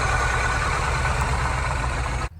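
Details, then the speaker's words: Mini engine: steady heavy low rumble with a rough, uneven idle that cuts off abruptly; owner says it needs an engine replacement. "So, I guess we'll talk about this in the future, but my Mini well, you can hear it."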